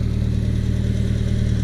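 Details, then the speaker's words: 1978 Triumph Spitfire, warm, with intermittent stalling, popping, backfiring and power loss. Owner suspects fuel starvation or too much air. Even, steady idle with regular low pulse and no stumble right now. Intermittent idle stumble, not present. "Yeah, and now it's not acting"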